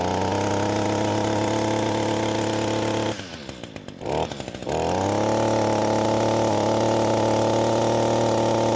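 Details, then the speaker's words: Echo SRM-225 two-stroke trimmer, screen already removed, carburetor adjusted: even high buzz drops on throttle-off, then climbs to a flat pitch without peaking; low top-end RPM from carbon-blocked exhaust port. "it to most people it's going to sound great it's going to sound normal but to me I can tell it needs just a little bit bit more it's not peeking out like I needed to"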